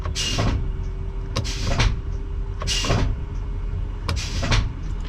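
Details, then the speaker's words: Eaton Fuller 10-speed auto-shift truck transmission, truck turned off, high/low range air shifter actuator toggled up and down; sharp air hiss with a click and thunk every second or so, shifting normally, unlike when it was stuck in high range and needed replacing. "If you can hear this shifting, You see how it shifts up and down? Can you hear the air shifter outside there? That's the actuator."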